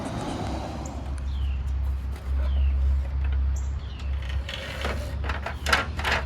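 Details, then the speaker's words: Toro Recycler 22-inch self-propelled mower with a Tecumseh engine and primer-bulb carburetor, left two years with gas in it. Carburetor cleaned; with RPM raised it holds a steady low drone; normal running. "there that's sounds much better now that the RPMs are higher"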